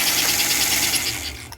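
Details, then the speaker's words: Motor of a 1952 American Flyer #342 switcher after a refresh (armature trued, commutator and brushes cleaned, new fingers), run forward: a bright, even, high-pitched whir with no grinding, rpm rising slightly as the brushes reseat. Runs healthy. "now that sound that the motor's making is a sweet music to my ears um and the RPMs are actually picking up just a little bit more as the brushes kind of reat themselves"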